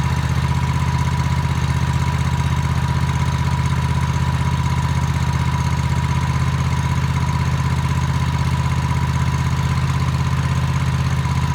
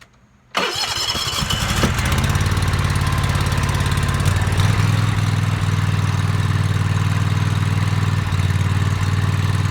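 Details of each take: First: Toro TimeCutter MX 4200 zero-turn mower at even idle, about four beats a second, right after replacing both ignition coils for a running-rough complaint; no surging or hunting, running smoothly. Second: Toro TimeCutter MX 4200 twin-cylinder zero-turn mower: it cranks, starts and idles unevenly, repeatedly dropping and recovering, and hesitates while driving. Fuel, plugs, fuel filter and valves were already done; the faulty ignition coils were the cause and were replaced.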